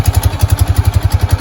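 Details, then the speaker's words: Kawasaki Prairie 300 automatic ATV with the belt guard removed (a snake was found inside) and the engine revved: even single-cylinder thumping at about eleven beats a second, no rubbing or scraping. The earlier belt-guard noise went away; counterweights move freely. Normal CVT operation. "Counterweights in here. Everything seems to be moving. When I was revving on it, this slid in and come back out."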